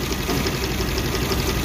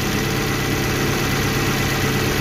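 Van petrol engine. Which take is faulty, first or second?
first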